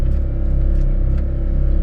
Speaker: so that noise right there don't mind that that's just the suspension compressor is pumping up